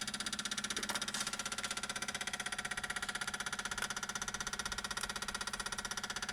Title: 335i weird noise after engine shut off